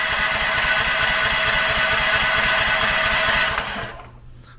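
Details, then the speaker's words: New Predator 420cc electric-start engine swapped onto a 34-ton log splitter, cranked without fuel to circulate oil: fast, even cranking around three and a half turns a second, strong until release; starter and battery are working well. "think that's pretty good on that one that actually cranks over very well with that battery i'm super impressed by that one"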